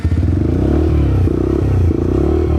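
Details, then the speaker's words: Motorcycle just collected after engine work, at start of 500 km break-in (kept to 5–6000 rpm): crisp two-stroke blipping, revs rising and falling cleanly, no rattle or knock; owner feels it sounds different, better than before. "Bon, comme vous voyez, on vient d'aller récupérer la moto et je sais pas si vous voyez, il y a une petite différence de bruit, j'ai l'impression."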